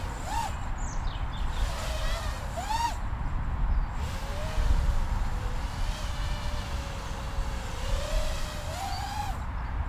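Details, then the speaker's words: FuriBee X215 Pro-S brushless FPV quadcopter: steady buzzing hover tone that briefly wavers in pitch; intermittent motor jitter, not constant, cause unclear, soft-mounting motors considered. "did you hear that little Jetta there hmm definitely a jitter which is surprising really with that I am you being isolated but yet definitely a jitter there"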